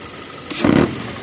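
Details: 2.0 FSI: throttle blip brings a brief buzzing clatter from a loose air filter box lid whose screw-mount tab had come loose; fixed by tightening the screw so the lid stays secured.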